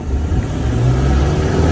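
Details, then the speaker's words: 1979 Bayliner engine, just reassembled, on the water under throttle: deep, even roar building smoothly with no knocks or misses; oil pressure, charging and temperature good, motor running really well. "Ooh, that turns us pretty good. Motor's actually running really, really good."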